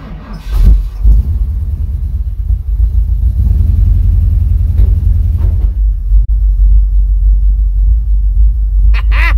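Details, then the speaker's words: 1978 Ford Bronco V8, first start attempt in about two years: cranks, catches on ether and settles into a steady deep idle. Owner says the earlier clatter is gone. Starts and idles normally. "it doesn't sound like it clatters anymore either i think it may have built back up over"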